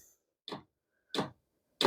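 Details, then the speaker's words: Vevor diesel heater after one year of shop use, older diesel, first run this winter, not cold: sharp single clicks about two-thirds of a second apart in quiet room as fuel pump kicks in at startup; normal priming. "Where's the click, click, click? There's the click. Now you can hear the pump kicking in."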